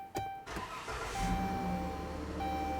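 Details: 2013 Chrysler Town & Country after fitting a new ignition start/stop switch: a brief crank catches quickly and settles into a smooth, even idle with no stumbling. Starts normally.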